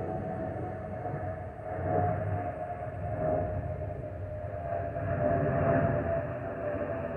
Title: Delta Airlines Airbus A320-212 N364NW DL1468 MIA-DTW (FOPP Whistling Sound)